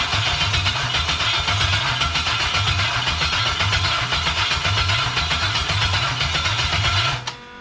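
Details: 1977 Pontiac Trans Am with a 5.3L LS swap from a 2001 Chevy Tahoe, fuel pump priming: even cranking for seven seconds at about four beats a second, never fires; crank, no start; suspected that the computer is not getting power.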